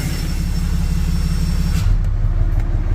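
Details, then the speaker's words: A 4th-gen Ram 3500 Cummins running about 50 miles after a cheap HE351VE VGT turbo rebuild, with the exhaust brake now working. Deep, steady diesel rumble with an even beat and no knocks, whistles or surges; normal running. The turbo was later confirmed to follow computer demand. "So, I put about 50 miles on the truck so far. Everything's doing what it's supposed to."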